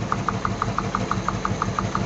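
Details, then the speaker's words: Luhrs 28 boat with a 350 engine at idle: a sharp, even ticking knock about six times a second, loudest at the cylinder 6 valve. That cylinder has zero compression and the owner suspects a stuck valve; Marvel Mystery Oil did not cure it. "it's uh the valve number six on the uh head right there I got my telescope on and I listen all around and it's really loud on that side"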